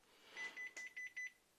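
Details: 2012 Xerox WorkCentre 6015NI, about 4000 pages, after repair of a false paper-jam error (poorly refitted register part, suspect sensor): bright, even string of five short beeps at a steady clip, like a turn signal, in a quiet room; printer healthy.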